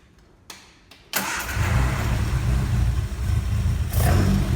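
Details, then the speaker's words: Classic car after a spark fault was fixed, before flasher unit and lights testing: it catches within a second and settles into a steady, even, low idle with no misses or knocks; it runs healthy. "running sounds good to me s a spark was the answer"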